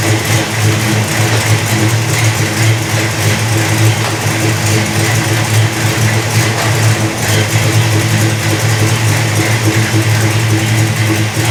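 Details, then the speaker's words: 1974 Dodge Charger V8 after sitting two years, after fitting a carburetor base gasket and spacer to cure the vacuum leak: deep burble holding a steady, even idle with no hunting, popping or missing; running well. "okay base gasket on everybody's happy"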